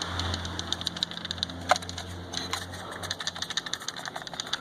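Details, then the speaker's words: New Ford Ka door shaken, giving loose clattering clicks about five a second from a loose part inside the door lock, present in all four doors and near the driver's left ear. "Você vai escutar o barulho de chocalho ao mexer na porta. Basta chacoalhar a porta, você vai escutar um barulhinho. Esse barulho é dentro da maravilhosa fechadura."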